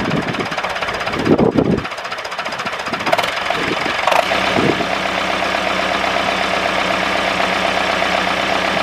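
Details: David Brown 996 diesel tractor, left sitting about 10 years (since around 2012), first start after sitting: some clatter and handling noise at first, then steady even diesel chatter at idle; normal idle, though throttle noted stuck.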